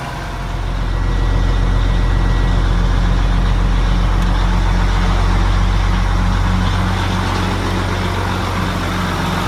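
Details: Mack Superliner diesel, newly reassembled after engine repair: deep, even idle with a steady low beat near four per second, no knocks or misses. Healthy idle. It once blew white smoke (fuel pump suspected) and now blew black smoke.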